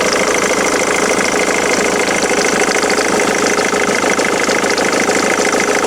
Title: Ford Mondeo MK3 2.0 TDCI strange engine noise - is it a failure?